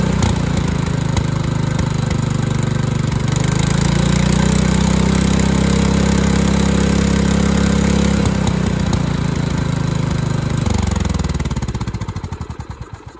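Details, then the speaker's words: Craftsman LT2000 Kohler Command single-cylinder engine after governor arm adjustment: holds a fairly even speed, rising briefly then steadying before shutdown; governor now controls speed, carburetor still needs adjusting. "well I think that might have just done it I do got to adjust the carburetor on this though"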